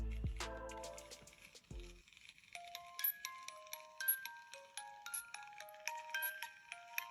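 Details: After replacing the plastic gears with copper metal gears and oiling them, a DIY music box plays a test strip: clear plucked notes ring out evenly with soft gear ticking and no crank-handle squeak; running smoothly.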